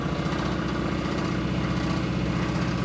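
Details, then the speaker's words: Hemi V8 in a Gremlin after a burnout, idling at very low rpm with oil pressure: deep, rapid knock under the rumble, earlier pinging, suspected broken lifter or pushrod before; judged a rod knock. "Oh yeah. That's a rod knock."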